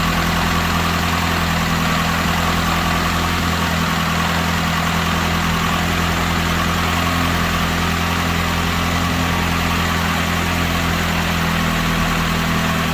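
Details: Saturn S-series with rear-mount turbo, first start after the build with PCV valve left off; steady, even low drone with constant hum and no knocks or misses, smooth healthy idle.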